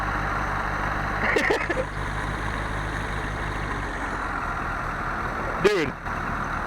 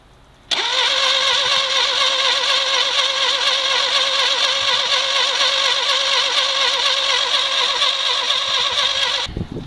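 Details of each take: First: 1968 Fiat first start after about 30 years in a garage: low, steady idle hum that settles and runs smoothly; normal idle. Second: 1968 Fiat that sat about 30 years in a garage, first start attempt: the starter churns steadily about four pulses a second for nine seconds and never fires. Crank, no start with no spark; spark plugs, condenser and points to be replaced.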